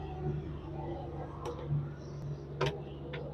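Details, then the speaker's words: Honda Dio BS6 scooter that cuts out while riding, battery low: starts and settles into a steady low putter with a few light ticks, no misfire or stumble; fuel supply, fuel pump and injector judged fine. "गाड़ी हमारा start हो गया है, कोई दिक्कत नहीं। इसका मतलब हमारा तेल भी सप्लाई सही से दे रहा है।"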